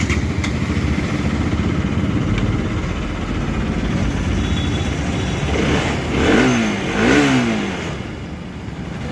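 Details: Bajaj Pulsar RS 200 that clicked on the self-start without the starter motor turning; the engine fires and catches, then two quick clean throttle blips. Starter and engine now working normally.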